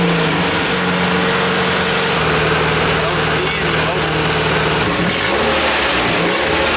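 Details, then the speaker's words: Nissan 240SX KA24DE after suspected blown motor, misfire and electrical fire, tested for bottom-end health: revs up and holds smoothly, no knocking or rattling; bottom end sounds fine, likely only valve cover gasket issues, piston rings still possible given smoke. "yeah yeah bro the car sounds fine I'm not worried it's the bottom end anymore it can't be yeah it might just be gasket issues and stuff"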